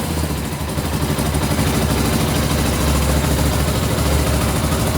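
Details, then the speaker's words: 2000 Suzuki GS500E parallel twin after recommissioning, electric start on choke: even, steady burble sitting at a fast idle with no knocks or misses. Clean, healthy idle. "Well, it didn't even crank. That sounds nice. So you're using the choke there. It's analogue, old fashioned."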